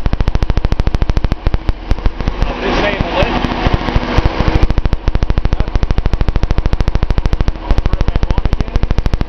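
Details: Datsun 280Z L28 idle: rapid even injector ticking over a lumpy, uneven idle, about 200 pulses a minute. A power balance test points to a cylinder 6 misfire, possibly a clogged injector; a Colortune plug is fitted. Suspected, not confirmed.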